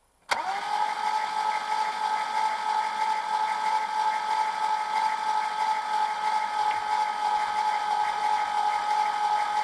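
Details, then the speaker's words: Alfa Romeo Montreal V8, right-bank head gasket replaced and heads rebuilt, first crank after reassembly with ignition module disconnected, no spark and plugs loose to build oil and fuel pressure: steady starter whine, even churn, healthy cranking. "we disconnected the ignition module so we have no spark the plugs are just loose which is cranking over for mocking office or pulling fuel any pressure carry on"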